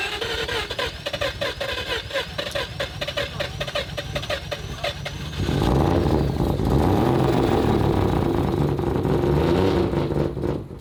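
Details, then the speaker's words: Three-rotor Mazda RX-7 running rough and choppy: raspy puffing heard from multiple spots. The cause is an exhaust leak because the downpipe was not fitted properly. "uh we've got exhaust leaks uh the guys didn't put on the downpipe properly and so it's you can hear it coming from multiple sources"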